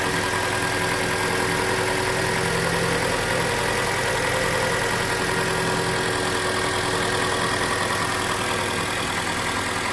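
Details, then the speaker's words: Mitsubishi Lancer X 2.0 with CVT, after fixing an alternator-area belt squeal heard only when cold, bearings suspected, injectors also cleaned; even settled idle with no belt squeal; normal idle after repair. "машинка работает ровно и по поводу песка ремня звука нету проявляться он на холодную час его нету получаются мы победили"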